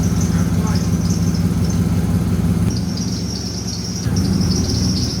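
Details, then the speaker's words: C6 Corvette idles lumpy with a high, thin squeal that fades briefly and returns, squeaking harder than before. Spraying the belt confirmed a dirty serpentine belt slipping rather than a pulley. "The belt previously was squeaking, and now it's squeaking even harder."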